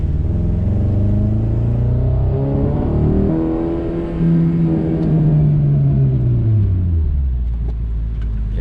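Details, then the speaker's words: Old carbureted car on a test drive through the gears: engine note rises and falls with an uneven stumbling pulse under load; definite misfire. A carburetor-related warning light, possibly choke, is on. "definitely a misfire going on"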